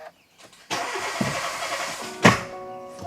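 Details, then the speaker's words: 2019 Hyundai Tucson 1.6 turbo GDI, runs rough with no check light or misfire counters after loud poof and new plugs, cranking for scope relative compression test: uneven crank with one light beat; missing compression hump, low-compression cylinder. "So I'm definitely missing a compression hump. And you're hearing that loud noise like it hydrolocking"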